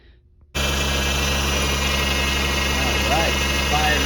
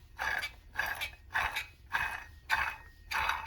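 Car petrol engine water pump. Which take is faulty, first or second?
second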